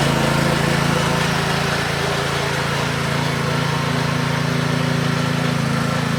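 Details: DeWalt pressure washer single-cylinder engine transplanted onto a Scotts rotor tiller, running after the swap; fast even drone with a steady beat and no misses or rattles, running smoothly and healthy.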